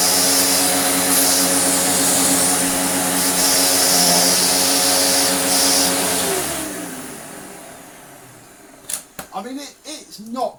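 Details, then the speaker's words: Restored Dirt Devil Eclipse Plus 6750UK vacuum on tool suction: steady high rushing hiss with a hollow whistle, then the motor winds down. Air leaks everywhere when the hose is blocked, leaving tool suction weak; only the floor-head path is sealed. "But, you know, as soon as you put any sort of blockage on it, you probably heard it, air just escapes from everywhere else."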